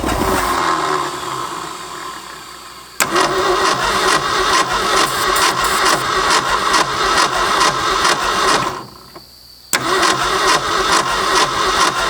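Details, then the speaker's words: 1965 Ford F250 parked 26 years, fresh points and condenser, fuel now reaching the carb: starter cranks steadily about two turns a second but the engine never catches or fires; no spark at the coil. "so we lost spark or something we have fuel in the carb now what you do Oh doesn't have spark at the coils"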